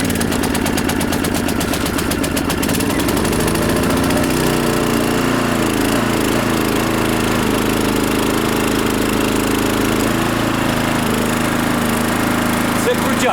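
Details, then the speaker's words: GTM DK3500i 3.3 kW inverter generator, petrol filled beforehand, choke open: pull-start catches first pull, revs climb and settle to steady, fairly quiet even run; normal start and idle. "цей генератор завівся за першим раком А чому завівся за першим разом тому що ми завчасно залили бензин закрили кришку і дали йому постояти трошки і він завівся"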